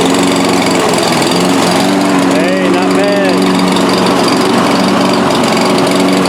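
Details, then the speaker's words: Free Toro self-propelled mower after a new traction control cable and fuel cap, cutting under load. Steady, even engine drone at a constant mid pitch, no knocks or misses. The self-propel drive works; running normally. "Alright, there we go. They're working. Hey, actually pushes right along."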